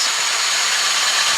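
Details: 1998 Toyota Avensis 1.6 petrol, jump-started from a Jeep after alternator work on a flat-battery non-starter: catches and settles into smooth even idle with steady hiss, no knocks or misses; battery light out; normal idle.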